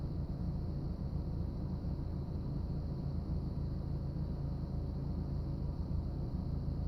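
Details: BMW E36 318is M44 petrol engine: on start-up the idle dips and the car shakes, then the idle rises and normalises but stays rough, a low uneven rumble whose beat wavers.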